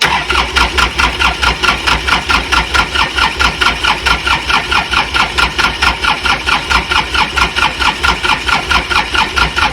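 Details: Hard-used Kubota L3400 diesel tractor: starter churns steadily at about four even strokes a second with no firing catching; cranks but won't start.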